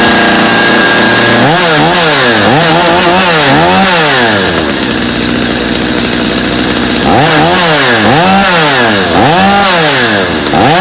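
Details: Customer's Stihl chainsaw after reassembly, owner's Bosch spark plug, started from full choke; idles, then revs cleanly up and down in quick bursts without bogging; idle a little high but otherwise running well, little carb adjustment needed.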